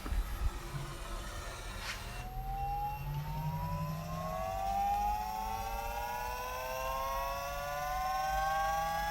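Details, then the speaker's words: Astra electric power steering pump fitted to a drift car, running on rubber mounts sitting on the chassis before its bracket is installed: it kicks in with a loud, clean singing whine that rises, then backs off as it runs. Normal, and expected to be quieter once bracketed. "As you can hear, she fairly sings. And then it seems to back off a bit once she's been running for a bit. Because it's just sitting on the chassis, so it's louder than it will be."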